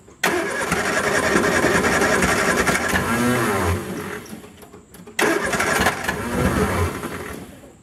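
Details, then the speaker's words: 1967 Triumph Spitfire, junkyard car not run in a while, cold start outdoors with carb cleaner sprayed into the old carburetors: cranking catches into a few seconds of rough running, fades, catches again and dies; fires on spray but won't keep running. "all right so we had to fire off a little bit just by spraying a little bit of carb cleaner in the end of the carbs so I think we're in a good spot"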